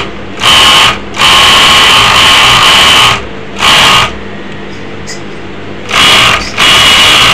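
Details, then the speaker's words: Overlock sewing machine with oil showing and circulating: bursts of fast, high-pitched clatter and rattle, louder than normal while running. The cause is a worn upper looper holder bush. "কিন্তু তারপরেও machine চালালে অতিরিক্ত শব্দ করে overlock machine."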